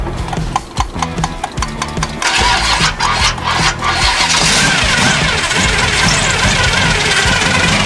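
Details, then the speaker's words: 1974 Chevy Nova started for the first time in years: uneven cranking stutters for about two seconds, then it catches rough and roars up. Fresh gas was added, but very old, red gas is still passing through the fuel filter, so it is hard to fire. "And the gas is pretty old. Let's see if we can get it to run through. And sometimes you just got to do this a couple times."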